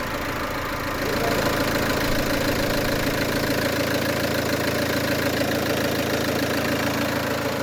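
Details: Peugeot 307 2.0 HDi with fault codes P1112 and P0204, after replacing the TDC sensor and diesel filter, no leaks: a smooth, even diesel clatter at steady idle with no stumbles or noise. Normal diesel idle.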